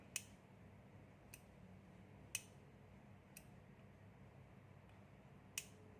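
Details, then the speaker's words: 12VDC aircon relay, with 12 V applied to the coil. Sharp, dry single clicks sound against a quiet room as the coil energizes; the relay conducts and switches properly. "The moment you supply the 12 volt here, then you hear the relay coin is conducting. Tuck."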